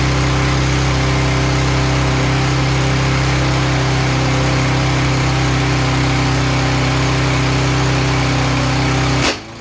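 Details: Yard Machines lawnmower small single-cylinder engine after repair of no-run condition; steady even buzz at constant speed until it cuts off: running smoothly.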